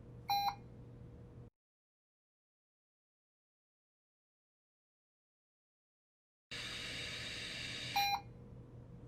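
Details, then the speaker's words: Puritan Bennett 560 ventilator running its exhalation flow sensor calibration with the circuit end occluded: short beeps, a quiet pause, then a steady rush of airflow that ramps up, with more beeps, over about a minute. The calibration runs normally and passes. "This takes probably about a minute. Initially you don't hear much flow, but eventually you'll hear the flow ramp up."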